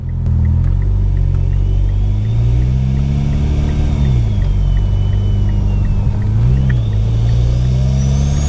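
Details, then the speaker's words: Mitsubishi Evo X, newly fitted with a 5656rs turbo and 1200cc injectors, driven cold under light throttle with barely any boost: deep exhaust drone with a loud, thin whistle rising and falling, a healthy turbo spooling. "that whistle it whistles so loud that's just not even touching any boost really it's crazy"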